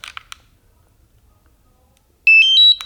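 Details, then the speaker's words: DJI Mavic 2 Pro remote controller power-on: a few soft clicks, then a loud three-step rising beep and final chirp; normal startup tone but considered too loud. "too noisy like whenever you turn on people are gonna say oh it's a drone this is going somewhere"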